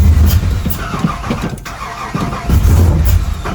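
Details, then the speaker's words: Chevy square-body V8 truck on its first start after sitting for years: it fires, runs roughly, dies and catches again. The stalling is caused by the VATS anti-theft security still active in the computer. "So it does have, that's why it's stalling, because it has the security still on the computer."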